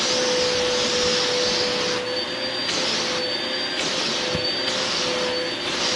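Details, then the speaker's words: Bissell Powerforce vacuum after cleaning, rebuild and bearing upgrade, testing back-hose suction; steady high-pitched motor rush, airflow rising and dipping as the hose moves. Suction working well; motor healthy. "Okay, so we're going to see if the back hose part here has suction now, which sounds like it does. Sounds like it's working very good."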